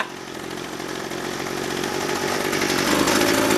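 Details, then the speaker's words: Old pre-1990s two-stroke chainsaw just started on choke, makeshift unvented bar oil cap: steady buzzing note climbing slowly as it warms, even firing with no misses; running fine. "Let's see. No, it doesn't spring back. I heard it. That was too easy."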